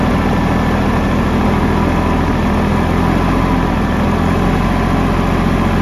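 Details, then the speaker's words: 2015 Kubota L3301 diesel tractor, 500 hours, stalling from trash in the fuel tank clogging the fuel line: deep steady even idle, no misses or hunting; it later lost power and died after an hour. "all right finally cranking everybody uh finally started up I guess what I'm gonna do is if it keeps running I'm gonna try to use it do some uh work around here"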